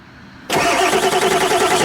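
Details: 1995 Ford F-series with 7.3L Powerstroke diesel that wouldn't start after sitting two months: the starter cranks at an even speed with no catch or fire; crankshaft position sensor signal good; crank no start, failed injector driver module.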